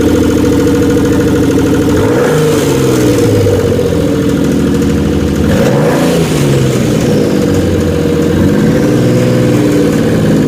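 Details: Twin-turbo Stealth V6 brought back after hydrolock, rough idle with throttle blips and fast light ticking over the engine, lifter tick, lots of carbon smoke.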